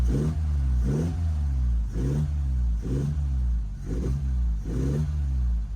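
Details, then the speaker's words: Lotus Elan restomod, nearly warm with water at 90: steady idle with gentle swell about once a second, running a bit rich as suspected. "okay so it's not 100 warm but water's at 90. so idling nicely it's a bit rich as we suspected"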